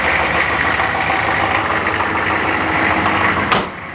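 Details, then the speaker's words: Cold start, block heater plugged in since morning, above freezing and damp: loud, ragged metallic rattle over rough running that eases as revs drop; cause unknown. "Quite the rattle. Oh, oh, oh, oh, oh. What a friggin' rattle that was."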